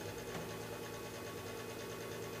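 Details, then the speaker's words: Lennox Pulse21 furnace after installing a new control board, at startup: clicking, then the exhaust/draft fan motor starting with an even, steady hum and no rattle or scrape. Board green LED is steady, so it is working normally. "hear a motor, the exhaust fan or something kicking on. Light is still steady green, so that's good. There goes the fan."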